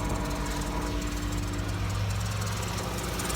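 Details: 2012 Dodge Caravan after radiator replacement for overheating (fan not working, relay later replaced), no leaks seen: steady low engine hum with even rhythm, no knocks or squeals; idling smoothly.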